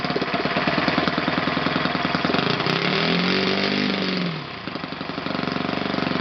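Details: OS FS 120 PreSurpass four-stroke glow engine, bought used on eBay, test-run on a stand on 16% nitro fuel with a 16x6 prop. Steady rapid beat swells smoothly into a higher-pitched rev and settles back evenly: runs normally.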